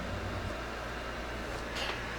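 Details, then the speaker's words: Pride DX-300 amplifier after HV power supply replaced with new board, caps and diodes, on variac near 110 V, 95 W in standby; steady airflow rush with low mains hum, no rattles; normal cooling blower operation. "I can hear the blower running. Over here we're pulling 95 watts, you know, in standby. So everything's good so far."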